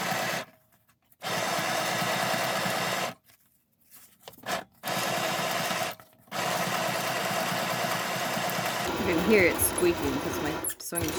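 Stitching comes in short bursts with a faint steady squeak over the needle clatter as the machine strains through thick material.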